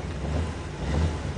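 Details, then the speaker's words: 1979 Corvette 350 V8, first start of the summer after sandblasting the plugs, fitting a new fan belt and some carburetor work: deep even rumble settling into a steady idle, wind in the background. Normal, healthy idle. "Crank her up. Oh yeah. Now that's what a Corvette should sound"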